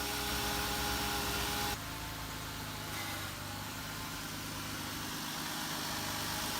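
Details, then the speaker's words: Jeep Wrangler JK (JKU) idling after power steering pump and pulley replacement, steering worked lock to lock to purge air: smooth, even idle with a slight tone shift while steering; sounds great, normal idle. "so now we're going to go ahead and start it. It's all spinning and running, and that sounds great."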